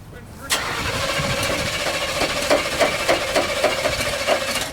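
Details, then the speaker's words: Demolition derby car before the derby: starter cranks in an even chug of about three and a half beats a second but the engine never fires; no fuel in the tank, crank no start. "What are you trying to Start it on just a Dream or What fing B I don't got no fuel Nothing to put theel in"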